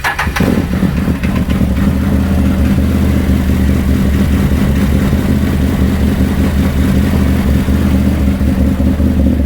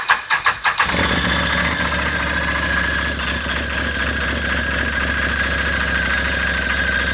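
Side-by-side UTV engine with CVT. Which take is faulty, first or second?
second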